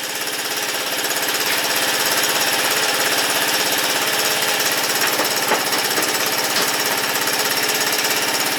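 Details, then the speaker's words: Warm Honda ATC200 with aftermarket PZ27 carburetor, no choke: fast, even single-cylinder popping with an occasional sneeze, suspected from a jet needing adjustment; otherwise runs beautifully. "it's got a little speed hear that sneeze i'm not sure what's causing that i think it's a that one jet we could adjust a little bit but runs beautiful though"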